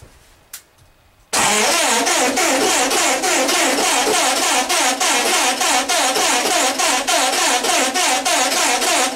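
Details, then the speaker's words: 1909 Cadillac with added electric starter, first start attempts after parking since 1934: even cranking at about three and a half compression pulses a second for eight seconds without firing, despite compression, spark and fuel; carburetor dripping. "we know we got compression we know we got spark and we know we got gas in so the carburetor dripping is that we hear"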